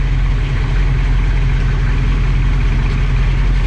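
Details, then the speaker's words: Just-bought 1979 Chevy Camaro V8 (305 or 350 unknown) with a failed transmission awaiting removal, at idle. Deep, steady burble with no misses, knocks or exhaust smoke. Engine sounds healthy, running better than the owner's truck. "yeah sounds good I mean it sounds healthy no smoke coming out of the exhaust pipe um honestly running better than my truck"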